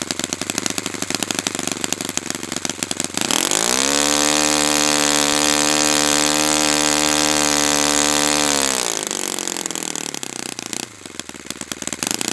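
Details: Brand-new Saito FA-100T twin, break-in run, restarted still warm without priming or choke; quick start, smooth steady high-pitched buzz holding constant speed, then easing down. Normal running, called spectacular.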